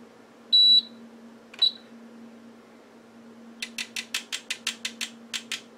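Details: HP 34401A 6.5-digit multimeter being repaired for not reading AC: beeps at power-on, then about a dozen quick, evenly spaced relay clicks with no error beep; self-test passes normally.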